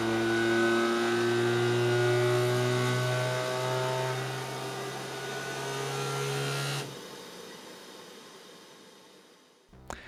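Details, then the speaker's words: Anycubic Kobra S1 Combo 3D printer, brand new, during initial power-on setup: loud steady buzzing shake with held low drone and shifting tones, stopping abruptly; normal vibration calibration routine. "Then it started aggressively twerking, and I let you hear it, because I wasn't ready for those sounds."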